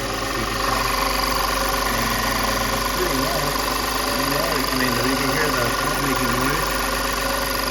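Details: 2005 Audi A6 3.2L V6 after high pressure mechanical fuel pump replacement, which cured sputtering: smooth, even idle with steady hum, no stumble or ticking; running cleanly.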